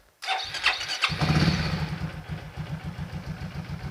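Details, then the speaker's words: Yamaha XMAX 300 scooter after a home repair of a hard-start, stumbling, no-idle fault, repair said to last about two months: starter whirr, engine catches and settles to an even, steady idle without stumble or misfire, normal idle. "ปกตินะครับอยู่ได้ประมาณ2เดือนนะครับ"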